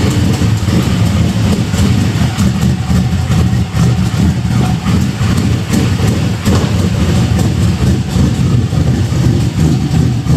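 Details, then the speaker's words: Budget beater Chevelle V8 after fitting a used 70s Caprice exhaust: deep heavy idle, quieter than before, with a ragged puffing edge on each beat; owner suspects a sizable exhaust leak up front. "Seems like it quieted up quite a bit. Does sound like I got a pretty good exhaust leak up here."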